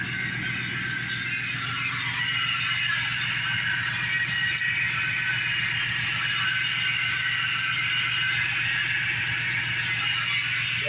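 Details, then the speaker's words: Lincoln project car at idle, charging OK: constant high whir with light rattle, unchanged; owner suspects water pump or alternator bearing, one of the accessory belt pulleys noisy, not yet pinpointed. "one of these pulleys are noisy. I'm just going to have to pinpoint which one it is."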